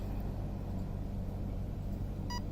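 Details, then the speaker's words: Arc One RC speed controller powered on while holding full throttle with radio bound: low rumble, then a single short clear beep as it enters programming mode. "Okay, now it's cycle. First layer, 2 beeps. Second layer, 3 beeps."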